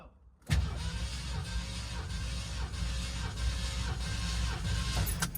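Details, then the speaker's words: 1969 Mercury Cougar XR7 convertible V8 compression test, throttle held open, cylinder 1: starter cranks with steady, even low thumps about twice a second, no skips; reads about 168-170 psi, good compression. "Hold the throttle open, sir, and I will crank it. Hold the throttle open. You always hold the throttle open."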